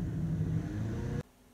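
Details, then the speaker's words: Hyundai ix35 while driving: steady low drone over road rumble from the front end; hub bearings lacked grease but mechanic doubts they are the source, suspects transfer case or something else; front end hum unconfirmed. "хозяину говорил что как бы звук не похож на звук от подшипников скорее всего этот звук вызван чьим-то другим может быть раздаткой может еще чем-то"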